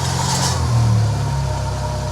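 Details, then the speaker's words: Mitsubishi Evo X, recorded underneath at the turbo during light revs: tinny metallic buzz over the engine note from a very loose, rust-damaged heat shield plate wrapped around the stock downpipe at the turbo. "all right we we found it see this you see this plate all right now rev y it's rattling that's it it's this it's a plate on the turbo you can see how loose it is"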